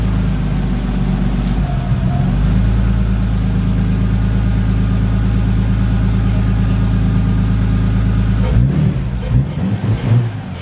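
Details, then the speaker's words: Nissan R33 Skyline after fixing idle that was hunting and nearly stalling: engine holds a smooth, steady low drone and picks up cleanly with no surging or hunting; revving much nicer, sounds healthy. "it's revving so much nicer now can you hear it so if your revvit is not going to stall"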